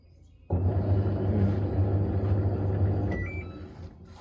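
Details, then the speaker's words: Samsung washing machine after level sensor replacement, spin mode selected: low motor hum about 2.5 s, no drain valve clunk, then beeps; drain valve not pulling so no spin, cause unconfirmed, gearbox not blamed. "Tapi aku perasan masa tekan spin ni, okey masa kita letak pada mod spin. Okey pada mod spin valve air tu dia tak tarik."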